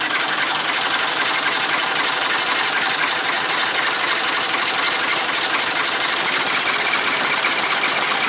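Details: Ford 3-cylinder diesel in a 550 TLB on its first start after reassembly, with the fuel bled at the injectors while cranking, on a cool day. A steady, rattly diesel clatter holds an even beat with no misses or heavy knocks; it runs normally.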